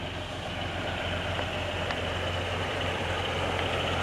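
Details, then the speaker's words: 1956 Willys Jeep 4x4 station wagon, restored around 2007, runs with an even steady low rumble, no knocks or misses, while parking; running smoothly. "This is one of my favorites. It runs so smooth."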